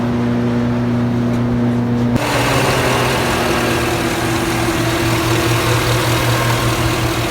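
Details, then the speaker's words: 2007-up Chevy 5.3L V8 after repair of a failed DoD lifter on cylinder four that caused misfire and knocking: even, steady idle with a smooth low hum and no ticking or knock, before DoD is tuned out of the ECU. "I already started it it sounds great now we're gonna take it over to the tuner and get the dod tuned out of the ECU so it won't go into DoD mode anymore"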